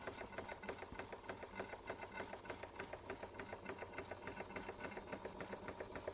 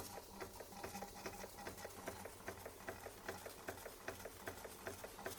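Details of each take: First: Bing 130 382 Poppit model steam engine, recently modified, just lit and warming up. Fast, even chuffing at about four beats a second with a light metallic tick, holding a steady pace. Runs well; normal steady running. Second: Bing 130 382 Poppit steam engine, just lit and still cold, pressure up and pipe warming: quick light chuffs about 2.5 per second, with a wet crackly spit on each beat. Condensation is blowing up the chimney during warm-up.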